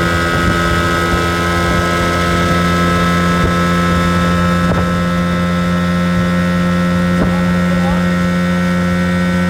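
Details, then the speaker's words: 1980 Evinrude 15 outboard after carb kit rebuild, new impeller and fuel pump, first hole shot at full throttle about 25 mph: steady strong clean drone, no misses or rattles; runs healthy. "I'm going like 25 out of that. That's full throttle. Sounds good. Sounds kind of scary, too."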